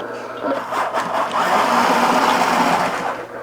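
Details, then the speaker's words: Original obsolete R.A.D. toy robot driving on a table: even whirring of small geared motors with light pulsing about four times a second, no grinding or catching; drive motors normal. "Seems functional. It does seem to be doing its thing."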